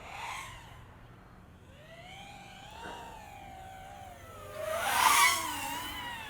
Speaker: So I'm just falling, throttling up, and you see a little bit of oscillation there. I'm going to try some sharp turns. And you can hear a little bit of the oscillations in that sharp turn.